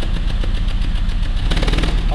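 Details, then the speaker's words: Peugeot 206 three-cylinder revving with a rapid string of sharp pops and bangs, explosions in the catalytic converter up front. Fuel arrives but does not burn in a cylinder; spark plug or coil blamed, not injectors. Unburnt fuel popping in the catalyst. "motor o yuri todos esses touros são explosões no catalisador lá na frente dá para ouvir mais alto"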